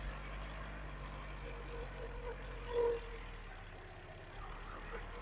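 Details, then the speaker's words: GTI engine swapped into a 1974 VW Passat B1, under hard acceleration while driving: low, uneven drone with a missing firing pulse as it runs on three cylinders. Number four is not firing, number one also seems weak, and an earlier intermittent misfire worsened. "Yeah, we've only got three cylinders. You can hear that. It's falling off mad."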